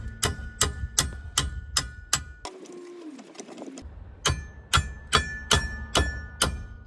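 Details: BMW transmission: sharp metallic clacks about two and a half times a second over a low idling rumble; transmission rattle, before a cheap fix under $5.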